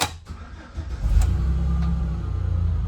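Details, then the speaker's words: 2008 Chevy Express van, restarted after over an hour of driving, before battery swap: short crank, engine catches cleanly and settles into a steady even idle, normal start. "Okay, maybe I didn't need a battery."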